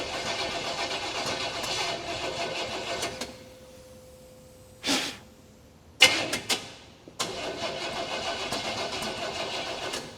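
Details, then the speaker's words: 1951 Chevy 3100 farm truck with crate 350 swap: long cranking then sharp pops and a brief stumbling catch before cranking resumes; backfiring through the carburetor because ignition timing is off. "Cranker. Cranker. Yeah, that timing is off. It blew through the car."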